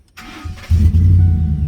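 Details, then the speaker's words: 2009 Ford F150 Lariat flex fuel 2WD, restart after replacing a burnt 20 amp fuse that caused cranks-but-won't-start: short crank catches at once, steady low even idle with no stumble. "Started right up. No issues with it. Everything's running perfectly."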